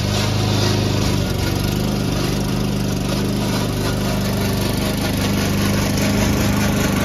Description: Old toro recycler. Still cuts nice Kentucky Bluegrass. But is making a racket from the drive system.